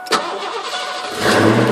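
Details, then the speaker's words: Ford Mustang, first start after sitting about one and a half to two years; short crank, catches and settles into a steady even idle, good oil pressure and charging. Normal engine start. "oh they said she fired right she's been sitting here for at least two years my boss said maybe a year and a half"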